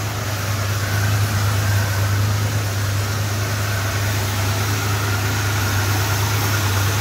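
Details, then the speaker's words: Freshly rebuilt 440 big block V8 in a 1966 Chrysler New Yorker after install, new temperature switch, still needs a tune-up and idle adjustment: deep, steady rumble, even beat, no knocks or misses; normal engine running. "um wow my first rebuild long road shot can you tell she sounds so sweet that is Lush"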